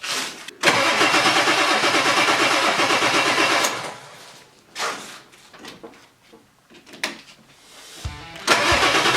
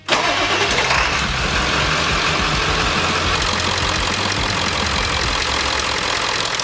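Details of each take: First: 1997 Ford 7.3 Powerstroke diesel after replacing O-rings on all eight injectors: long steady cranking with pauses, no firing; lots of air in the fuel system, battery possibly running low. It later coughs and starts. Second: 1997 Ford 7.3 Powerstroke diesel after replacing O-rings on all eight injectors: cranks briefly, catches at once and settles into a steady, even idle clatter; all injectors firing, one showing slightly less oil, possibly a dirty tip.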